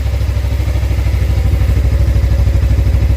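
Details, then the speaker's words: Suzuki GSX250R fuel-injected bike after fuel repair, running on low fuel that previously caused stalling past mid-tank; huge difference. Even, steady low thumping, no misses or stumbles; both fuel injectors sound fine. Normal idle. "clearly that made a huge [Music] difference sounds really healthy both fuel injectors sound like they're working just fine"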